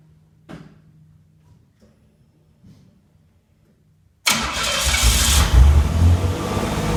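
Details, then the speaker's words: Replica exotic kit car built on a 1986 Pontiac Fiero GT chassis, ignition and fuel systems rebuilt, warming up: engine starts and settles into a fast, raised idle that won't drop; owner suspects a vacuum leak, unconfirmed. "I noticed that we were having an issue with the idling of the vehicle it's racing too much so it looks like we may have a vacuum leak somewhere"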